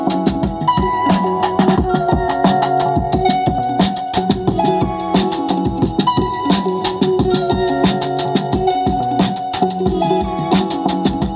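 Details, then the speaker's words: Anvox ACA 800 Gladiador powered PA speaker (850 W RMS) after repair of low volume with hum: music now plays loud and clean with no hum or drone. "tem que aumentar o volume aqui e olha que acabou o ruído e o som veio de toda a altura"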